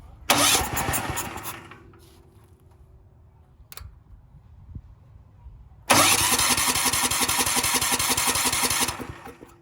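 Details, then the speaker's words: Cheap Valsi generator engine, previously locked up, run on carb spray with the choke on: two short bursts of uneven firing that catch briefly, sputter and fade; carb and fuel lines to be cleaned. "Well, we did hear it run. Unfortunately, I didn't get it to make it run long enough to verify power output."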